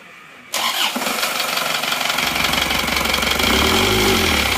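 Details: Isuzu Panther diesel with blow-by, rebuilt with new liners and imitation "made in Japan" pistons: it fires up into a loud, coarse, slightly uneven clatter, rough running blamed on the counterfeit pistons.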